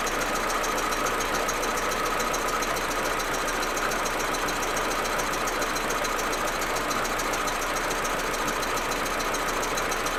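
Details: Audi A4 1.8T, cold engine: busy, uneven clatter with stumbling rough idle and stutter that goes away once warm. Spark plugs, coils, ignition amplifier and broken vacuum hoses already replaced; owner suspects injectors or carbon buildup.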